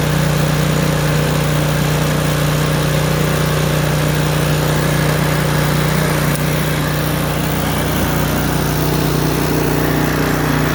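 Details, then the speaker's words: Craftsman snowblower, about 3–4 years old, small engine with choke moved to full run after initial popping: steady, even single-cylinder putter at fast idle with no popping or surging, normal idle. "Go to click it 1 more time to full run on the choke. Now the machine is at full run."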